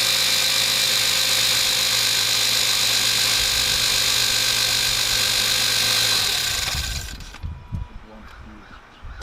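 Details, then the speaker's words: Toyota Corolla just after installing an MWR alternator underdrive pulley: a constant loud high-pitched whine over the engine that stops at shutdown, the alternator noisy for unknown reasons; after running a while it sounded normal. "as you guys might have just heard in that last clip the alternator sounded pretty bad turning it sounded real noisy and honestly i'm not sure why"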